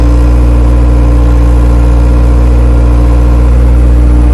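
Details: Honda Civic EG project car on Hondata S300, after replacing a faulty 3-bar MAP sensor and plugging and disabling the stuck-open IAC valve: loud, deep, steady idle, even pulse about four a second, no hunting; running properly.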